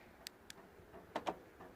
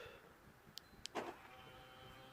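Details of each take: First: 2012 Ford Focus Mk3 TDCi whose remote only unlocks: pressing lock gives faint clicks, then a double clack, as the door lock actuators respond, but none of the doors lock; cause not yet found. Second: 2012 Ford Focus Mk3 diesel with remote that only unlocked: with a new key, door and boot actuators tick then clunk as car and boot unlock normally; fault was the old key, central locking works properly.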